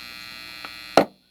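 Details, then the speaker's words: Fender American Elite Strat, pickup selector moved after the capacitor, resistor and 5-way switch were replaced: steady hum, a faint tick, then a sharp loud pop, louder the longer the switch sat out of position. It stops when a capacitor is disconnected from its terminal. "Pretty loud sound, and it gets louder the longer you leave it out of that position. So just after 5 seconds. Alright, with the capacitor disconnected from that terminal, the pop does not happen."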